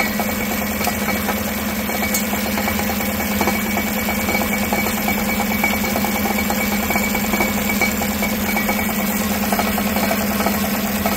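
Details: 2016 Tahoe 5.3 V8 with 140,000 miles, no check engine light, idling and heard underneath: a loose, uneven metallic rattle under a steady idle. Part of the driver-side catalytic converter's insides has come apart.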